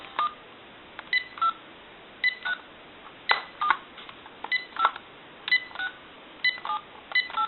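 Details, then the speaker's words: GE 6.0 cordless telephone on initial bench checkout with the handset opened up, connected to a line analyzer: the number is dialed. Crisp, separate touch-tone beeps, one per key press, are clean and steady, so the DTMF dialing tones are normal. "we want to give you some dow tone and if you watch the analyzer we want to walk through our numbers"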